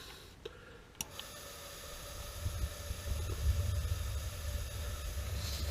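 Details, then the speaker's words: AO Smith water heater low-NOx burner after pilot assembly repair (spark wire chewed by rats): faint click at ignition, then a soft, low flame roar that builds and holds steady; burner lit and running normally. "you go buddy that's the sound of success right there nice nice warm fire and you can hear so this is the the low nox burner"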